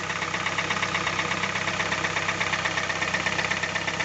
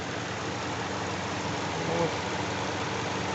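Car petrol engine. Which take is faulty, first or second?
first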